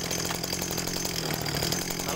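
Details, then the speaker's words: TU26 small two-stroke agricultural sprayer engine with a dry air filter, reported as heavy on fuel: buzzy, slightly uneven, burbling idle, slow to rev at full throttle; suspected rich mixture from carburettor, not confirmed. "suara lasamnya ini menurut saya Memang agak keborosan ya kita coba gas Oke kalau untuk langsam ini ee e kedengaran Memang agak keborosan"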